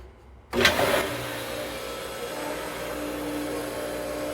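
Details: Hayward pool pump motor after freeing the seized impeller, which had kept it humming without spinning after winter: starts with a sharp surge, then settles into a steady, even hum and whir; normal run.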